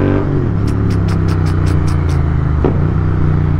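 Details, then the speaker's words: Twin-cylinder motorcycle riding, heard from inside the helmet: deep even rumble, steady with no knocks or misses; normal exhaust note while riding. "బా ఈ sound 2 చెవులకి సుఖంగా ఉంది తెలిసిన. Helmet లోపల నుంచి ఆ 2 సౌండ్ డాల్బీ అట్మాస్ లాగా బా"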